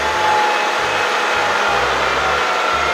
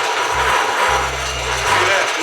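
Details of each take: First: Bridgeport Series I milling machine head after repair of spindle that had stalled halfway up to speed: smooth, even motor whine holding steady then winding down cleanly with no knock or rumble; normal spindle run. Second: Bridgeport Series I milling machine head before repair: harsh gritty rasping with a low, uneven ratchet chatter as it runs up. It reaches only about half speed, then slows instead of going faster; keyway reported stuck, cause unconfirmed.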